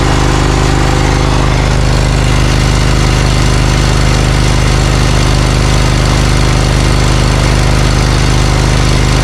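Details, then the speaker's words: Briggs & Stratton Vanguard 20 HP V-twin zero-turn mower, warmed up: right exhaust only 124°F versus left near 500°F; low, lumpy uneven beat with popping, one cylinder dropping out. "So I would immediately assume that the right side is trying to warm up, but there must be an issue with it. Okay, I'm starting to hear popp"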